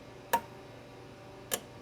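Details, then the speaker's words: Chevrolet Traverse after P0449 EVAP vent valve circuit repair: vent solenoid switched on and off by scan tool gives two crisp clicks about a second apart; responding properly, code no longer returns. "I don't know if you can hear the click now the soleno is clicking so our solenoid is somewhere up here"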